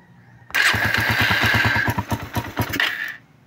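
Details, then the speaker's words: Suzuki Raider run without an oil change, now with cleaned carburetor, new filter, spark plug, regulator, battery and fresh oil: starts on one click and idles roughly with fast, uneven ticking over the exhaust; valvetrain worn from oil starvation. "Pakinggan natin yung makina dahil maingay yung makina nito, walang natuyuan. Ayan. Yung pumipitik na yan."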